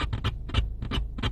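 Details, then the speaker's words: 2012 Ford Focus radio after about ten minutes of driving, following an attempted repair: rapid irregular pops and crackles in clusters with no music, continuing with the radio off; owner suspects the radio unit overheating. "the radio works but it gets that static noise see I turned it off they're still doing it"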